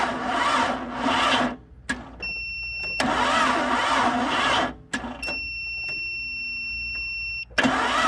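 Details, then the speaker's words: Barn-find later-model 1998 Jeep Cherokee XJ, long sat, on jumper cables and a booster pack: three sluggish, uneven cranking bursts between key chimes, with a little oil pressure; the battery is too weak to spin it properly. "engines sit for a while they get stubborn all right let's try her again ah well we did get a little bit of oil pressure even as slow as she's turning over so that's a good sign"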